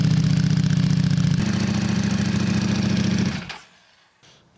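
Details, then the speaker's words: Motorcycle after fitting dB killers and extra inserts in both exhaust pipes: steady muffled low thumping idle, no hollow bark or rattles, slightly louder at low revs, then shut off; normal idle with quietened exhaust. "Tā skaņa vairs nav tik dobja, viņa tāda, slāpējoša. Pats sākums. Kad ir maz apgrieziena, tad viņš tur kaut ko liekas, ka skaļāk, bet principā ir baigi ok."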